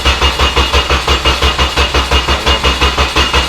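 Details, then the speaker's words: 2000 Honda Civic SI, just bought abandoned, cranking: steady starter churn at about three turns a second that never catches; ECU lost power on cranking and saw no RPM, caused by a missing engine ground. "Everything is there for this thing to run, but she won't fire."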